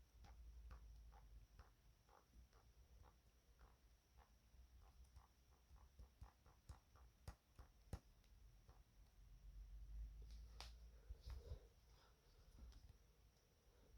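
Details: Blue iPad Air 5th generation, the second unit received: irregular small clicks and creaks as the back panel is pressed gently, over low handling rumble; build quality judged worse than 4th gen, cause not confirmed.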